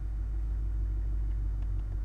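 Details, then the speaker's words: Ford Mustang GT Coyote 5.0 V8 with newly built custom exhaust, first start-up: deep, soft, subdued even rumble with no ticks or misses; normal idle. "Sounds kind of subdued, but when I go into my mode on the Mustang exhaust mode selection and go to track versus quiet,"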